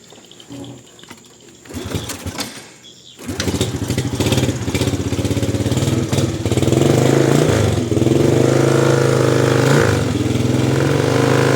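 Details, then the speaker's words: Used small motorcycle for sale, starter weak, owner suspects the battery: starts after a few seconds, then settles into an even, steady putter with no knocks; engine runs smoothly. "Suaranya halus. Sepertinah ya."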